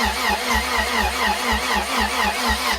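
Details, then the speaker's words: Turbo B18-swapped Honda at first startup: steady starter cranking at about four to five beats a second that never fires, so it cranks but won't start; injector clicking is unclear and the exhaust smells of gas. "I don't know. I can't tell. It's hard to tell. There's like stuff happening, but not like definitively clicking."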